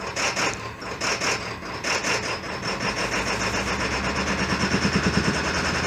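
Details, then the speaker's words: 2000 Ford F-450 DRW, 7.3 PowerStroke diesel, just after cold start with glow plugs cycled three times: lumpy, rasping idle with an uneven beat near once a second, gradually evening out; normal cold-start roughness. "so usually the coach starts I cycle my glow plugs about three times before I start the truck"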